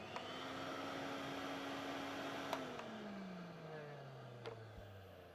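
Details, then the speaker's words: Vintage Electrolux Z302 cylinder vacuum test run after refurbishment: the motor holds a smooth, steady hum with no rasp or squeal, then winds down quietly after switch-off, sounding much better than before. Normal motor run. "much yeah that sounds much better"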